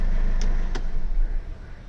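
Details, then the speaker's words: Mercedes CLA 200d diesel, engine start-stop restart at a stop sign after repairing a flywheel rattle at start-up and low-rpm idle. Even, low rumble with a couple of faint clicks and no rattle; the problem is solved. "we are at a stop sign again engine start stop is enabled foot of the brake and no rattles so the problem is solved"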